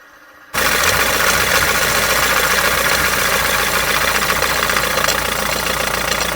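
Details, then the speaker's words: Rover 75 TD4 diesel (BMW engine), little-used: loud steady idle with hard metallic diesel-like rattle from the crank pulley/harmonic balancer whose bonded rubber has failed, halves separated; first suspected idler pulley, fixed by replacing crank pulley. "they can split completely but usually they'll give some warning sign beforehand and it's it's usually a diesely rattle it just makes the"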